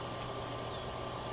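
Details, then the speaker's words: Hayward pool heater relighting after its gas was shut off to simulate flame loss, then turned back on: a steady, even combustion fan rush with a faint constant tone and no ignition yet; normal pre-purge. "Let's turn the gas back on because it's going to try to light right back up in a couple of minutes. Here it comes. There goes our pre-purge."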